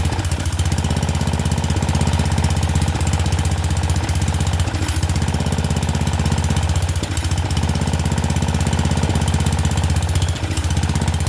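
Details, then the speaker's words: Murray Select 30-inch riding mower, just started, air filter off: heavy fast thumping around four beats a second with uneven dips and stumbles; runs rough, cause unconfirmed, owner refitting air filter to see if it helps. "But at least it runs. Not the greatest, but it runs."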